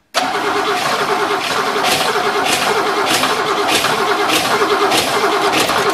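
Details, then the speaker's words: 1963 Oldsmobile just reassembled, gas poured into the carburetor: the starter churns in steady pulses about every half second with no firing. The owner says it sounds off and will recheck the plug wires; cause unconfirmed. "it's something something seems off I'm going to check the plug wires again just to make sure but just don't sound right"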